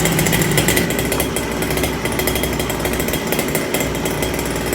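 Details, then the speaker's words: First start of Kayla's two-stroke motor: buzzy slightly uneven idle with blubbery burble, running rich for break-in, smoky. "Break the thing idle. It is richer than where it's supposed to be. Gotta turn the fan on."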